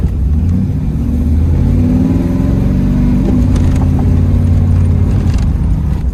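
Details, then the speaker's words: 1984 Pontiac Firebird with 350 V8, block-hugger headers and dual exhaust, driving after a cold start in snow: deep steady burble under light load with no knocks or ticks; engine sounds healthy. "I have to say though, this car has always, the 350 motor has always sounded good, especially when you have an exhaust on it."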